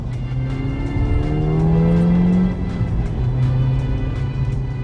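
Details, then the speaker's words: Ford Fiesta ST with Milltek cat-back, back box delete replaced by rear silencer, driving on road: throaty exhaust rising smoothly through revs with drone gone; normal sporty exhaust note. "but the good thing is we still got that nice sporty"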